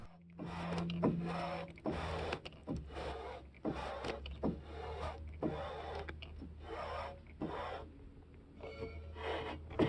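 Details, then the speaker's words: Raptor aircraft prototype engine, after governor and redrive oil feed testing, prop turned by hand: slow uneven dry scraping squeal and rasp, traced to front oil seal rubbing unlubricated; spring removed, to be lubricated as a dust seal. "that actually sounds bad but it turned out to really be nothing it's just this oil seal in the front there that was rubbing on anything and it's because it's not really lubricated"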